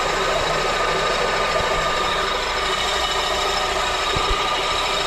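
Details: Honda K24, engine compartment at idle: a steady, gritty grinding that doesn't follow the engine beat. It was first thought to be top end, but the noise stopped with the belt off, and spinning the pulleys showed the failing AC compressor.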